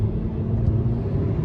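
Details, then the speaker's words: Hyundai driving on the road, windows up, after repairing a misfiring dead cylinder: even, steady low engine rumble with no stumble or skipping; now running smoothly, previously misfiring. "let's see put the windows up so you guys can hear it how smooth it is she's running good"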